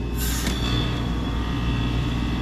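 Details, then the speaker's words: Old York R22 packaged heat pump with an intermittent defrost fault, forced into defrost by shorting test pins and jumpering R to DFT: sharp rushing whoosh over steady low hum, then a settled run; outdoor fan stops, a normal defrost changeover with some rattle at the top. "Alright, so she went right into defrost. Yeah, now that sounds more like a regular defrost there. Some rattle in there in the top."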